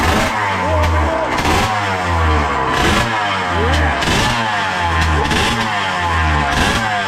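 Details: Suzuki RM80 bored to 135cc two-stroke warming up after start-up: crisp ringing note picking up cleanly on repeated throttle blips and settling evenly; smoke calming as it warms, rich oil mix in fuel; healthy engine.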